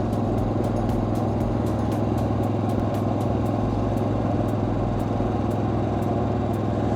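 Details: RV generator, restarted after a previous no-crank caused by depleted batteries: steady, even drone with a constant low hum, no surging or knocking; the set is running normally.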